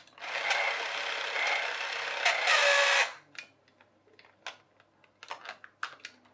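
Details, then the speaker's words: Charity-shop toy electric train, reassembled gear train: the small motor buzzes for about three seconds, then cuts off abruptly, leaving scattered clicks. A split gear jumps out of mesh and jams the drive, giving only a quarter turn of the wheel. "as soon as it gets round to the broken gear where it's split it goes overs out of mesh and your car turn so you get a quarter return on the wheel"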